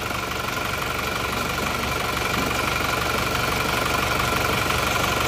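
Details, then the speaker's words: Diesel car after an engine overhaul (rings, timing gear and nozzles replaced, transmission bearings done): clattering idle with a faintly uneven, wavering pulse. Better than before but not smooth; injection pump adjustment suggested. Rough idle. "sudah mendingan mesinnya tapi kurang kurang rata menurut saya lihat dengarkan"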